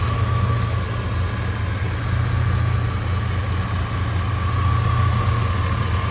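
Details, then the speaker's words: 1989 Suburban with a 3-inch exhaust, idling after a replacement alternator now charging at 14.4 V and the gauge/idle fuse fixed: deep, steady, quiet rumble with an even beat, no grinding, healthy idle. "Listen to how quiet it is. That 3-inch exhaust sounds really, really sweet. It sounds super good."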